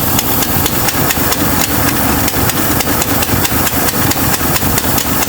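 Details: 1966 Mustang V8 first run, with a fuel problem and needing a carburetor: rough running with sharp, uneven pops about twice a second from a tiny hole in the exhaust manifold. Exhaust manifold leak.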